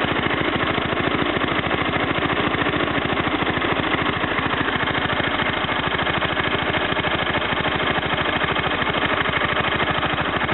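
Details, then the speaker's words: Kohler K241 single-cylinder on a Wheel Horse C-101 after a new head gasket, spark plug, points, coil and condenser plus a carburetor tune; run a little, no choke, idle raised above low idle to warm up; slow, even, smooth thumping: normal idle. "No choke. It has been run for a little bit, but that is not low idle."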